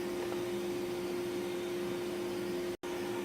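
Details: King cabinet table saw after motor bearing replacement, table alignment and maintenance: spins freely with steady clean hum, no grinding or rumble; healthy bearings.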